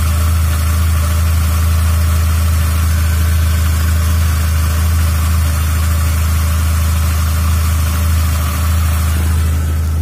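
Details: VW Jetta 3 after replacing the thermostat water outlet housing: deep, even idle holding a constant pitch, no ticking or stumbling; healthy engine at rest.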